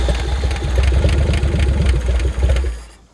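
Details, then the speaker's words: 1964 Chevy Biscayne parked 30+ years, after fixing points to restore spark, run on brake cleaner: fires with a quick, steady beat just over idle with a touch of throttle for a few seconds before dying. "See if we can give her a touch of throttle. There, that should be just a little over a idle, really. Yeehaw!"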